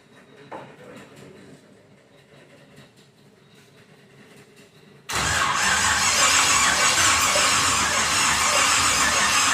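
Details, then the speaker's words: Pontiac 350 V8 in a 1950 Pontiac gasser with 6-speed, first fire-up with headers on, some fuel in the bowl: quiet spell then steady, even starter whir, no firing catch; no start, ignition timing 180 degrees out, battery needing a charge. "We'll have to do something with the timing, maybe. Get this battery charged up a little bit. It's cranking over at least."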